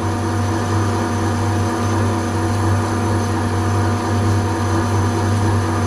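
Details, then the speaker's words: Deep, steady rumble while boring a bearing seat in a cast-iron welding positioner housing with a standard boring bar and Cermet insert: the bar is chattering. "This is my standard boring bar with the Cermet insert, and you hear the rumbling? That's chatter."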